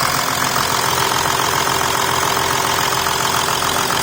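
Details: 2008 Volkswagen Touareg turbo diesel at its first start after fitting a new Bosch OEM high-pressure pump, new timing belt and bled fuel system: steady, even diesel idle with regular clatter, no misfire or knock; normal idle.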